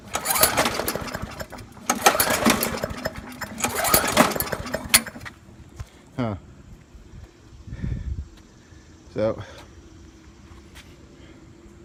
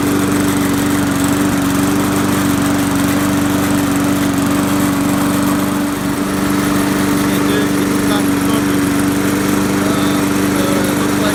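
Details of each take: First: Trash-picked Poulan Pro lawnmower, previously hydrolocked from overfilled oil, now with oil in range and primed: pull-start attempts catch in ragged uneven bursts and die instead of settling; fuel starvation from a dirty carburetor. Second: Trash-picked Poulan Pro mower, hydrolocked from overfilled oil, first run after the fix; steady, even drone at constant speed with no misses, knocks or surging, still smoking a little from residual oil; normal running.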